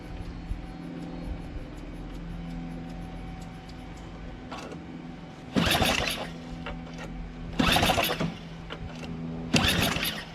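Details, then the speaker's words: Small engine converted to a single-shaft engine with reversed pulleys: three hard pull-cord bursts spin it but it never catches, no fuel getting through because the fuel shutoff was closed. "Doesn't seem to work. Doesn't seem to prime. Oh. Well, there's a fuel shutoff. Duh."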